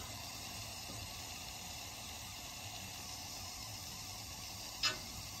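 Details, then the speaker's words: Steam heating system, end of the steam main at the front of a house: steady hiss of steam escaping, one brief click; leak evident from black residue around it. "c'est la fin de la conduite de vapeur à l'avant de la maison et vous pouvez entendre tous les de la vapeur sort de là, vous pouvez dire que c'est évident par toute cette merde noire qui était"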